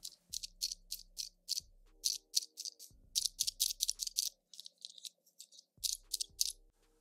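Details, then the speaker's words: Citizen Aqualand Promaster JP2000-67L dive watch, metal bracelet with one-piece links made to look like three-piece links, shaken by hand; bright, tinny jingling rattle in quick bursts with soft music underneath. Bracelet rattle. "I would say this is the most disappointing thing about this bracelet also there is a rattle to it take a listen"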